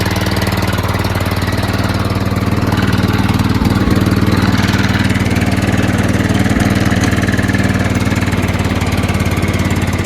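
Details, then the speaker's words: John Deere LT160 rebuilt Kohler Command single-cylinder (16 hp block, 15 hp crank and rod) at full throttle riding around the block after about an hour of running; steady even thumping, no misses, surges or knocks; normal running. "it makes it around the block Full Throttle no problem then it's good to go also I've been running this thing for like an hour today testing you know so I think it's good"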